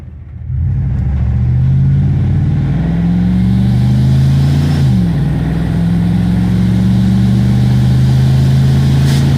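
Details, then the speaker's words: Classic truck after the driver's side exhaust manifold flapper door was opened and base timing adjusted: engine note climbs smoothly under load, eases, then pulls steadily with no detonation ping; healthy acceleration. "acceleration seems to be good once we get into a straight line here we'll be able to hear if we hear that uh detonation ping again but I don't think we're going to definitely feels a lot healthier"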